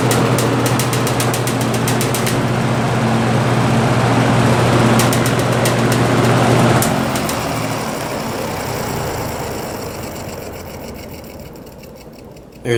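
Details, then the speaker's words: Vintage General Electric F11W16 box fan starting up on high speed; steady motor hum with fast regular scratchy ticking that fades while coasting; scraping noise, quick spin-down, blades off-balance, motor needs oiling. "scraping sound that I told you about yeah it needs some work really"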